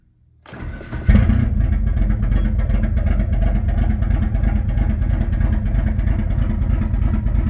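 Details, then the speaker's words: Mitsubishi Mirage with Evo 3 4G63 conversion, cold start after sitting three months through winter, with a jumper still on: silence, then it catches within a second and settles into a steady, even idle; a healthy cold start. "oh that sounds good that sounds nice and mighty okay Jesus this is finally beeping we got full power"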